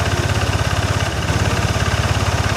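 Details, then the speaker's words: First-generation Yamaha NMAX with an ISC sensor: normal right after starting, but once slightly warm it gives a fast, steady putter that stays high and the rear wheel keeps turning. High idle from a broken idle speed control sensor spring. "Jadi posisi lamsam ini dia tinggi, nggak mau turun sendiri ya. Memang kalau baru nyala dia normal, tapi kalau udah panas sedikit ini posisi bannya muter terus."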